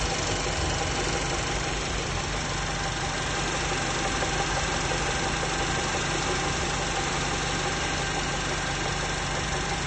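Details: VW 1.8 TSI engine at idle with a loose, uneven tapping knock about three times a second; piston knock suspected, but the exact cause needs teardown.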